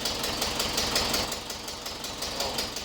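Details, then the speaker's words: 1976 VW Westfalia Type 2 bus with a replacement used engine, just after its first start. Light, quick ticking about three per second over a rough idle while the hydraulic lifters pump up. Lifter tick on a fresh start. "Oh, it sounds really good. It's got to pump up the lifters, so the clicking that you're hearing is from the lifters."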